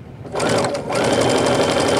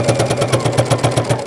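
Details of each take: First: Sewing machine stitching evenly and quietly over the thick, heavy part of the material with the correct-size needle; there is no thumping. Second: Sewing machine pounding with heavy even thumps about eight a second on every stitch through the thick layers, caused by a needle that is too big.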